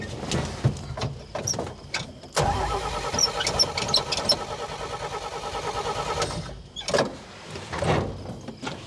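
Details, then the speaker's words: Old Dodge Power Wagon flathead, day three of revival: steady rhythmic cranking about four seconds, never catches; lost spark again, owner sure the worn ignition points are to blame and plans a new set. "We've lost spark again, and I'm sure it's those points. So, I'm going to have to get a new set, and then uh we'll go from there."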